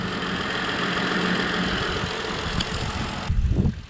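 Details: Car just restarted after a fuel pump replacement, where the previous pump's ring was not seated fully: steady, even idle hum for about three seconds with no misses, surges or stumbles; normal idle.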